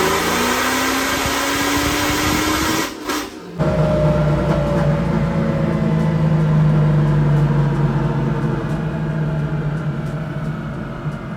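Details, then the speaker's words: 1991 Camaro convertible with supercharged LS9 (Kong 2.3L) and 4L80e on a third-gear pull after the MAF-to-EQ airflow change. The engine climbs hard, then abruptly drops out about half a second before recovering: fuel cut caused by a speed limiter. "So it looks like the car went into a little bit of a fuel cut or limp mode."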